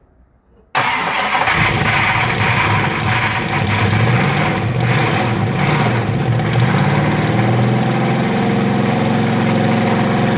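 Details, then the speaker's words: 1968 Mustang Fastback with 351 Windsor, first start after 25 years: engine catches and settles into a rough run with a loose metallic clatter underneath, traced to loose torque converter to flex plate bolts. "she's got a bit of a nasty uh nasty rattle it sounds like the St m is hanging on so before I actually do any more I'm going to have to investigate the rattle but she runs"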